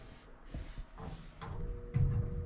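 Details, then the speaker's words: Goodman furnace that stopped blowing heat, blower motor powered directly for testing: a steady electrical hum under some handling clunks with no rush of air building; the motor winds up but is locked and won't turn, diagnosed as a bad motor. "not sure if you can hear that on camera motors locked up i don't know what the problem is exactly but bad motor at this point"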